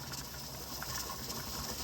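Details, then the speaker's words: Pressure canner canning taco meat, approaching 10 pounds: steady steam hiss with a light irregular rattle on top as the weight starts jiggling at pressure. "So we're approaching 10 pounds. You're going to start hearing this jiggle. It's going to be soon."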